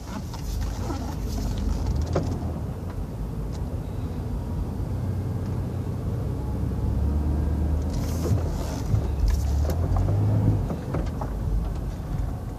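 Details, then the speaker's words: 2000 Dodge Caravan wheelchair-accessible van on a test drive, steering cranked hard right then braking. Steady low road rumble with no front-end noise, brake grinding or clunks; steering and brakes are normal. "no sound in the brakes no grinding put in reverse here reverse works no problem"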